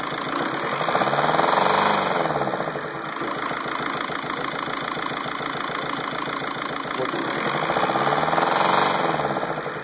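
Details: 2006 TDI diesel running with a repeating hard knock over the clatter, around three per second, swelling and fading with the engine note; engine knocking, cause unknown.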